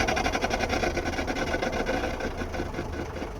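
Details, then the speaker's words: 1972 Mercedes-Benz 220D (W115) with a newly installed, owner-extended driveshaft: a steady rhythmic grinding of about three pulses a second tracks shaft rotation over the diesel clatter after a short drive. The speedo cable is broken; the owner suspects it, driveshaft length, or the flex-disc installation. "quite apparent that this noise is coming from the drive shaft that I just installed. What the hell is going on there?"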